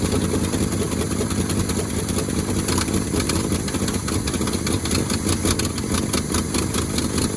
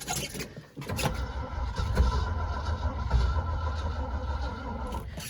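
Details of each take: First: 1971 Ford Highboy boom truck, cold start at about two below zero after switching to a 950 cold-cranking-amp battery: steady, even low rumble with no misses or knocks, settling quickly into a smooth idle. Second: 1971 Ford Highboy boom truck on a cold start at two below zero, choke cable not yet fitted, on a weak battery: slow, labouring, uneven cranking that never catches; the weak battery gives slow cranking and no start.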